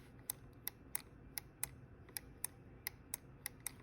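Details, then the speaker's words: GE QuietPower 3 dishwasher GLD4500N10WW, working door interlock switch (WD21X10224): crisp consistent clicks about three per second, spring-loaded plunger snapping back each time; healthy, unlike the broken other switch. "So the way these are supposed to work is that there's a spring behind the switch that is always pushing this black tab up and away from the switch contacts."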